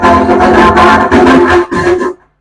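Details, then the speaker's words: Ahuja SSB-60M PA amplifier with speaker load on the 8-ohm tap, mic 1 input, master volume centered, treble centered, bass at zero: output rough and cutting out every half second; distorted, intermittent. Technician suspects driver board and volume control faults. "आवाज फटी फटी आ रही है रुक रुक के आ रही है क्लियर नहीं आ रही कुछ नहीं हो रहा"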